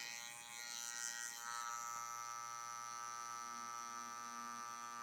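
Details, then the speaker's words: Tatvida brushless rotary tattoo machine, about 220 g, an estimated 6–7 W, pushed to higher speed: steady high buzz with a thin raspy edge, louder and harsher than a clean rotary should sound. Abnormal buzzing noise. "Après, oui, ça trace bien, hein. Là, elle fait du bruit, ça va plus vite. Mais le bruit, c'est compliqué, quoi."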